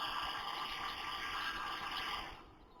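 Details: New Air Venturi Nomad 2 compressor running, with a steady high hiss of escaping air from a leaking pressure release/bleed valve, fading near the end; the owner says it can be tightened.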